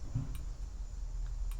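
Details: 1964 International Harvester Travelall C1100 with a new flasher unit behind the dash, right-side turn signal: two crisp clicks about a second apart over low cab hum, steady normal rate; other side has a suspected ground or short.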